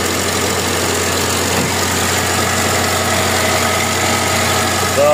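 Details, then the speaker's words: Mazda 323 at idle: constant high whir and faint chirp over the engine that doesn't settle. Belt noise persists even after the belt was replaced and repeatedly tightened; cause not pinned down. "Yan ang problema ni Siri. Yung ingay ng belt. Palit siya ng belt. Higpit siya ng higpit. Ganun pa rin."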